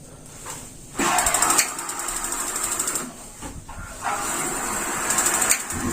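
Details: Modena gas water heater fitted with a universal replacement module, gas and temperature set to minimum: rapid ticking from the spark igniter, then a soft steady rush as the burner catches; lights cleanly on both tries.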